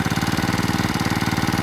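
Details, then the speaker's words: Two-stroke brush cutter that ran but would not spin its blade, after replacing the clutch drum and shaft: a quick, even putter at steady idle with no rattle or slipping grind; the blade now spins and it runs smoothly. "ครับเราติดเครื่องครับเปลี่ยนตัวนี้ไปเลยนะครับเปลี่ยนด้วยแล้วก็เปลี่ยนแกนไปแล้วครับประกอบเข้าเรียบร้อยแล้วครับนี่ครับใบหมุนแล้วครับคราวนี้ครับเมื่อกี้นี้ใบไม่หมุนนะ"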